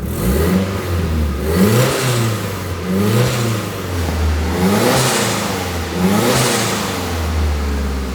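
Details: Nissan 240SX S13 after a cylinder 4 injector replacement, ignition and fuel filter refresh, and a crankcase ventilation fix: crisp throttle blips rising and falling cleanly, no misses, hiss or knocks; engine healthy.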